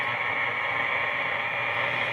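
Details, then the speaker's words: Grundig Satellit Transistor 5000 shortwave radio of unknown recent use, on shortwave bands: faint hissing static with a thin tone buried underneath and no clear programme. Weak reception, suspected to come from dirty push-button band switches. "All right, that's a quick tour, not really picking up much. Go back to this shortwave 3 band over here. So yeah, I'm not getting really anything."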